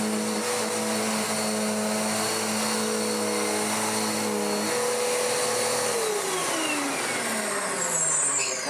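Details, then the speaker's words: Dirt Devil DD6114 vacuum, an Electrolux Contour clone, long stored in a shed, before restoration, after clearing a clog: steady motor whine with smooth belt hum, less grumbly than before, pitch sliding down at switch-off. Normal running. "Running better and better and better. That belt's even not being quite as grumbly as it once was."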